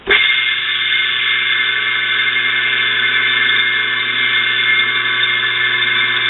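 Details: Electric motor rarely run and of unknown oiling history, plugged in again after oiling: a steady high squeal over an even hum that never lets up; noise seems to come from the front and rear bearings.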